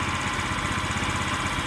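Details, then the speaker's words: Scrap-yard Chinese scooter with a small single-cylinder engine, air cleaner off, putters at idle with lumpy, uneven firing pulses that never settle into a steady beat; owner plans carburetor tuning. "oh yeah actually she idles doesn't idle smoothly like I like it to but I'll tune that up a little bit adjust that carburetor a bit"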